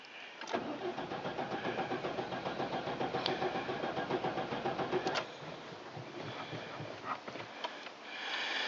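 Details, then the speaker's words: GMC Safari van, sat unused much of the winter, 14°F: several seconds of steady cranking with a couple of weak catches that die out; crank no start, owner suspects wet distributor cap, later found corroded. "it'll it'll run out a little bit but not much and not enough to get it going so uh and looks like I better get started pull this dog house off I'm thinking I'm probably Distributors probably wet distributor cap"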